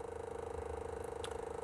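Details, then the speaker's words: Chinese 2 kW Webasto-style air heater at start-up, glow plug lit: steady fan whir with rapid flutter. The fan motor is noisy at first, not yet fixed, and the owner says it calms down afterward. "donc elle fait du bruit au début après ça va se calmer fois le ventilateur tourne là la bougie de chauffage s'allume aussi"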